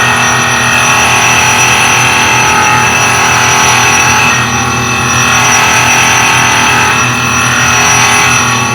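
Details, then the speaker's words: Highland Park Shaping Machine Model SM1 (1 HP motor), height adjusted down, slow rotation: steady motor drone with gritty rasp swelling and fading as the wheel hits high spots; piece out of round with flat spots. "Now I'm going to adjust the height down a little bit. I hear points where it's hitting and points where it's not. So I want to get the piece to so it's completely round and doesn't have flat spots."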